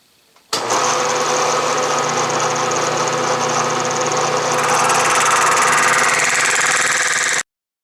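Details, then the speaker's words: Milling the ends of aluminum soft jaws for a Bridgeport 6" vise: a dull end mill with about 2.5" of flute gives harsh, buzzing chatter with steady ringing tones. The chatter was judged unacceptable and the cutter was swapped for a 5/8" solid carbide one. "you know what this cutter is horribly dull and perhaps you could hear the chatter totally unacceptable"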